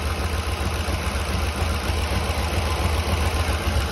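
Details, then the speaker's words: 2008 Ford 5.4 3V at idle with an exhaust leak needing a gasket on this side: faint, even light clatter over the exhaust note, possibly a rocker arm rather than timing chain; cause suspected, not confirmed. "all I hear is a very light platter on this side"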